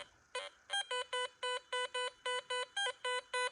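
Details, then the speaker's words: New Garrett Vortex in multifrequency mode, three bars from top, coin surrounded tightly by nails: crisp steady mid-pitched beeps three or four a second as the coil sweeps. Normal solid target signal with good separation. "wow that's picking up solid that way"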